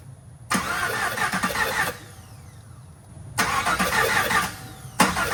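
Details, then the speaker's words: 2021 Camaro SS V8 during a heads-and-cam build, cranking in two bursts with an uneven, lumpy beat. Several cylinders have no compression because the 8-inch pushrods turned out too long and hold the valves open. "როგორც გესმით, ძრავს რამოდენიმე ცილინდრზე კომპრესია არ აქვს, რაც იმის მანიშნებელია, რომ შტანგა ნამდვილად გრძელი გამოდგა."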